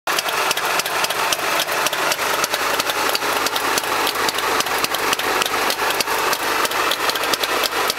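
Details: Trabant engine at idle: a sharp, regular ticking about five times a second rides over a thin idle; cause not identified.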